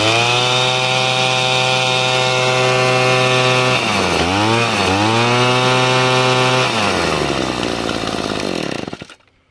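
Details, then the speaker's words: Echo handheld two-stroke blower that was down on power, after repair: steady high buzz that sags twice and recovers cleanly, rpm picking up when the intake is slightly restricted with a hose, then winds down at shutoff; running strong. "I'm gonna put on this hose very slightly, but you can hear the RPMs pick up."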